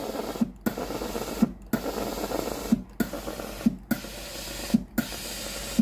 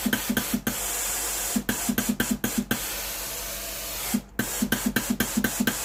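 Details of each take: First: Philips GC9682/80 steam iron, powered on and ready, water switch pressed: pump pulses about once a second with wet sputtering and no steam hiss, water dripping from a cold soleplate because the heater isn't powered; failed heater relay (ALDP124). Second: Philips GC9682/80 steam iron after repair (soleplate heater not heating, water dripping from soleplate; replacement relay ALDP124), steam switch pressed once ready: rapid, regular, strong hissing bursts, steam system working normally.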